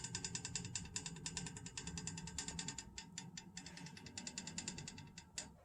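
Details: Rapid uneven tapping, about three per second, sharp in old house pipes with a low hum beneath, random and mostly early morning. A thermal expansion tank didn't help; replacing the faulty pressure reducing valve stopped the knocking.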